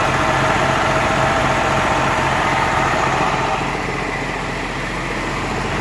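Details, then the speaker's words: M35A2 with a Cummins diesel swap: a steady, fast diesel clatter that never drops back, so the idle is too high even after backing off the idle screw; the planned fix is tightening the governor springs a few clicks. "it's still not right it's idling too high and it's I know what it is"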